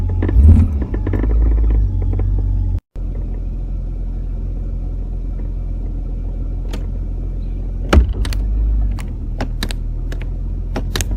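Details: 1999 Jeep Cherokee XJ in Drive under light acceleration: deep droning roar with uneven knocks and rattles as the exhaust pipe strikes the crossmember; front differential bushing and motor mounts checked okay.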